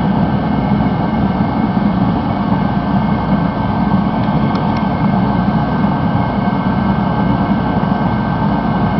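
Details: Rebuilt Mr. Heater Contractor Series torpedo heater after about a minute's running, outlet readings 700–900 degrees, over 1500 max: steady, even roar at full fire with no sputter, pulsing or popping; heater running normally.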